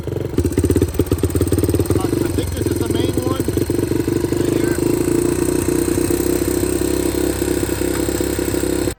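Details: 2006 Yamaha TTR-230 single-cylinder running on a replacement NIBBI PE30mm carburetor after revival. It thumps steadily but the beat wavers and stumbles now and then. Rough running, not yet considered rideable; air-fuel ratio still to be checked on a dyno.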